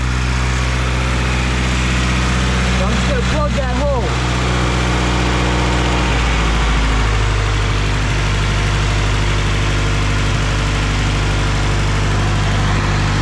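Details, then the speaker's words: Project car whose idle air control valve had fallen off: a steady idle drone drops to a lower, slower hum when a finger blocks the IAC valve hole. High idle from the idle air control valve; a new valve is needed. "okay so let's set down to two that's a lot lower than it's ever idled before but you notice when i put my hole my finger in the hole for the idle air control valve it goes down even lower"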